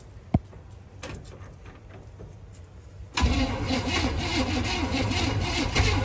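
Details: 1961 Chevrolet Impala barn find after 28 years sitting, starting fluid used, oil full: starter grinds in, engine fires and settles into an uneven, lumpy, stumbling idle; rough running.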